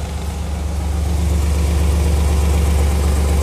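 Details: Nissan 300ZX V6 idling smoothly with no smoke: steady rhythmic puffing pop in the exhaust about four a second, strong exhaust smell, crackling on acceleration; owner suspects an exhaust leak or bad cats, unconfirmed.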